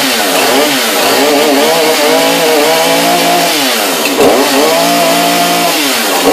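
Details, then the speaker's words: New Husqvarna two-stroke chainsaw on its first start after fitting bar and chain, choke and primer bulb used, chain brake off: crisp buzz climbing and dropping cleanly with the throttle, no stumbling or misses; runs strong and healthy. "Pull and pull sounds a little better this should just sit idle sounds like it might do the job"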